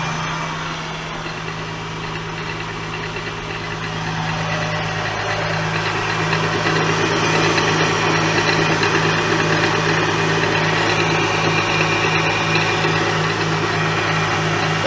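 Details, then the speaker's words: 2003 Acura CL Type S at idle after replacing the timing belt tensioner pulley, with power steering fluid low and frothing: steady drone with faint tapping about three times a second; owner suspects the power steering or the timing belt tensioner. "so the noise is back it could be power steering it could be the timing belt tensioner too"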